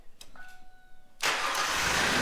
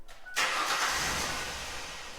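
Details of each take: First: 2000 Ford Explorer that cranked but wouldn't start, after replacing the fuel tank pressure sensor (only 6 volts had been reaching it, so the relay circuit failed): a few faint clicks, then it fires at once into a smooth, steady idle. Normal start. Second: 2000 Ford Explorer cranks but won't start: short burst of strong, even cranking with no firing; owner suspects the fuel pump, not confirmed.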